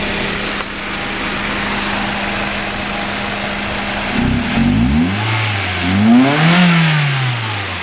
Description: Rough Idle on a Mazda 323F